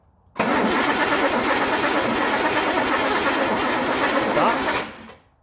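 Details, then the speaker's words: Cranking engine with distributor problem: about four and a half seconds of steady, even cranking with no firing; no spark because the ignition points arm is shorting to ground. "so the problem is we're not getting spark here spark there all right crank spark dies out"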